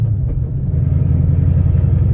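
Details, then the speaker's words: Car with a McLeod RST clutch and 3.73 gears, lugged at low RPM in fourth gear: deep engine rumble with a fast fluttering shudder; low-RPM clutch chatter, absent in second gear. "There's a little bit of chatter out there, low RPMs."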